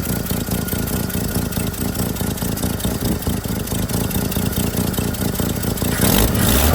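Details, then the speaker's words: 1959 Chevrolet Suburban Carryall 3106 with 235 Thrift Master inline-six and 4-speed: steady idle, then a throttle blip by the cable that revs up cleanly and smoothly, with a slight exhaust leak thought to be from the flapper; healthy engine. "There we go. You'll hear a little bit of an exhaust leak, but I think that's from the the flapper there. Um, but it does it does rev up nice and it it drives really nice."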